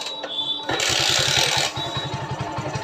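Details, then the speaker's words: XL 100 motorcycle engine on its first start after a full rebuild (bored, new 6205 crank bearing), kicked 10–20 times to spread oil first: starts on one kick and settles to an even putt-putt idle, sounding healthy. "तो आप देख सकते हैं दोस्तों जो इसका engine का sound है कितना ज़्यादा मस्त साउंड आया।"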